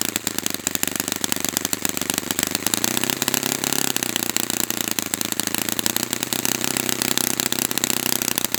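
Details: Brand-new Saito FA-100T twin on a test stand, first break-in run: rattles along at a fast, slightly burbly, uneven beat; running rich as it should for break-in, oil coming out, not lean.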